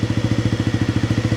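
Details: 1997 Honda CB50V Dream 50 (AC15) DOHC four-valve 50cc single, revived after about 15 years sitting, on stock ignition: even putt-putt about twelve beats a second, unbroken, no valve-train noise; smooth idle with exhaust still blowing cold air.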